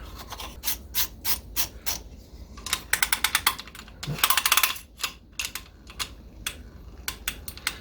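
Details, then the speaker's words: 1959 Shakespeare Spin Wondereel No. 1761 Model FB underspin reel, right-hand retrieve, cover fitted: fast irregular clicking and rasping while cranking with short slapping bursts, pickup pin catching a dent in the cover; no slapping with cap off. "I've noticed this slapping going on before and I'm not sure you know it's not doing it when the cap is off it is to a certain extent by holding hold that spool down it's not doing it and then when I put this on I'm hearing a clamping clapping noise"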